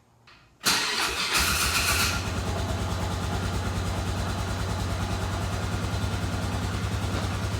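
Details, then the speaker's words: Polaris Ranger 500 4x4 after top-end rebuild (head, cylinder, piston), first start: cranks and catches within a second, brief rev, then steady even single-cylinder idle; no smoke seen, runs healthy. "Don't see any smoke at the moment. Looks pretty good, sounds good."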